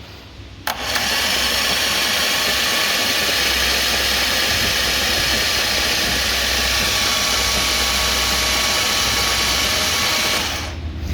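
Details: 2015 Jaguar F-Type, 72k miles, hydrolocked, engine removed and on a table. Cranking it over gives a long, harsh hissing rush as water is blown out of the cylinders; water reached the supercharger inlet and the exhaust.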